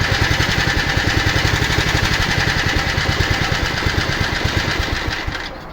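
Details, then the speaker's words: Honda HR215 lawn mower, previously seized engine, after about 15 minutes idling without smoke: low chuffing idle about four beats a second that stumbles and sags as if about to quit, then keeps running; uneven idle. "starts like a honda almost sounds like it's gonna like it's gonna shut off and then it"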